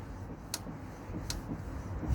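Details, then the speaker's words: Lexmoto LXR 125 front wheel spun by hand: sharp light ticks about once per turn from the brake caliper, louder the harder the wheel is pulled and changing with pressure on the caliper pin; the wheel bearing is solid. Pads removed and cleaned. "The harder I pull that round, the louder the click is."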